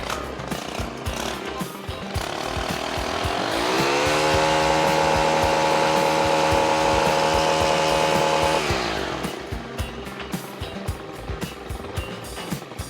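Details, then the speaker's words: Stihl FS 91 trimmer after overdue tune-up with new spark plug and idle turned up: idle rises smoothly to steady high whine, holds about five seconds, drops back cleanly; runs healthy, no longer sounds like it will die. "It's working much better. It's healthier. It doesn't sound like it's going to die. It doesn't feel like it's going to die."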